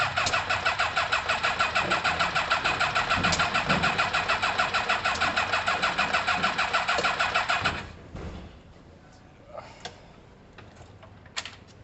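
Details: Kawasaki ZL600 motorcycle with new coils, tuned carbs and valves done: steady fast cranking around three beats a second that never catches, then stops; no start, with the plug leads on the wrong cylinders.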